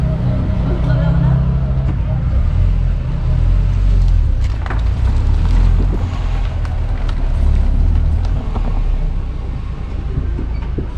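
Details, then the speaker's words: Car braking on the road after a fix for squealing rear brakes with new pads: only road rumble and tyre noise as it slows, with no squeal or scraping. Normal braking, no squeal. "Puede apreciar, ya no se genera ningún sonido, ya no se genera ningún ruido."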